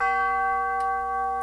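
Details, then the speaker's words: Tube gong grandfather clock on a test stand after hammer leather pad refurbish: clean, ringing tones with clear, sustained decay and no dull thud or buzz. It sounds very sweet. "Oh, sweet. Very sweet."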